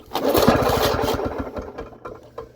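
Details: 1979 Lawn-Boy two-stroke mower, sitting 20+ years, good compression: after priming with gas in the carburetor, rapid popping firing catches right away after the pull and then eases off; starts readily.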